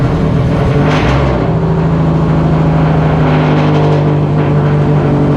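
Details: Freshly rebuilt Subaru EJ207 on break-in oil, first start: loud, even running with a steady low beat through throttle blips, no knocks or ticks; builder says the slight piston slap is normal for these pistons on a new motor that must be broken in.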